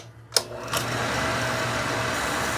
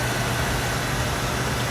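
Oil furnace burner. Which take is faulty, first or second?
first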